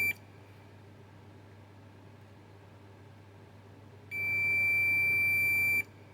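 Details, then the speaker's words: Onkyo SR576 HDMI board, dead, no visible damage: multimeter continuity probe on the 3.3 V regulator output gives a brief chirp, then a steady high beep for almost two seconds. Input side not shorted, output shorted; suspect the 100 µF and 220 µF capacitors. "there's no short here but on this side on the output the short"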